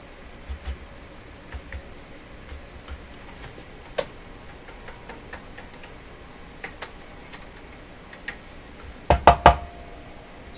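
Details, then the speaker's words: Philco 38 C7 tube radio during paper/wax capacitor replacement at the volume control: light taps on the tubes, then one tap sets off a brief ringing tone, a microphonic tube, almost certainly a tube but not confirmed. "listen to this and you hear a ringing in there ring it's got a microphonic tube"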